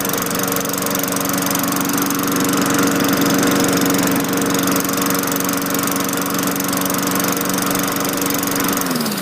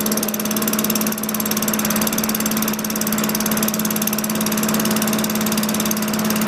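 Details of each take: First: 2003 Craftsman 22-inch mulcher mower with Tecumseh 4.5 HP engine after new carburetor, governor spring tension raised then backed off: steady, even drone holding speed on the governor, winding down smoothly at shutoff; runs clean. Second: 2003 Craftsman 22-inch mower with Tecumseh 4.5 HP engine, LEV100 carburetor, 70°F ambient: steady, even drone at a slow, lazy speed; pitch changes as the governor arm is moved to add spring tension. Low engine speed from governor setting.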